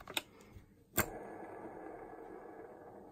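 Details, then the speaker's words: Stihl MS 270 chainsaw crankshaft removed, main bearings spun by hand: the flywheel-side bearing gives a dry, gritty whir, the other is better but still rough; both bearings and seals to be replaced. "you can hear, the one near the flywheel makes noises. Let's check the other one. This one is better but still. So it's clear to me that we have to change them."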